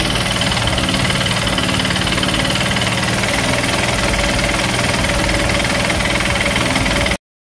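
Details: Bajaj CT 100 motorcycle; loud idle with hard rapid knock about four per second on the engine beat; worn crankshaft bearing, fixed by addressing the crankshaft bearing.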